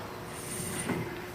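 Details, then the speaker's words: 2001 GMC Sierra 1500 2WD pickup on a test drive: a thin, high squeal over rolling noise from four-year-old rear brakes, pads nearly completely worn, inner pad likely worse; front brakes new: brake squeal from worn pads. "sort of hear that squeal okay so rear brakes you can see the pad right here it's about completely shot"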